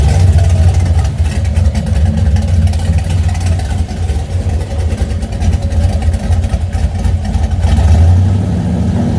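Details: Engine with Holley Sniper fuel injection, low idle stumbling with uneven dips and lopes in the exhaust pulse. Misfire at idle.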